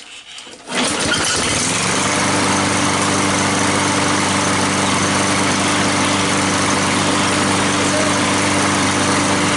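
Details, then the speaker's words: Curbside-found lawn mower, after hammering back a piece underneath suspected of hitting the blade: catches within a second and settles into a steady, even drone with no scraping or knocking; normal running after repair. "so i bet that little piece that was hitting the blade underneath there and that was fine"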